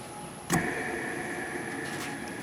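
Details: 2014 Itasca Impulse RV, rooftop Coleman AC unit that had been sitting in warm sun, cover removed. After a thump, a steady high-pitched whine holds at one pitch: a bad bearing in the fan motor, which is then replaced.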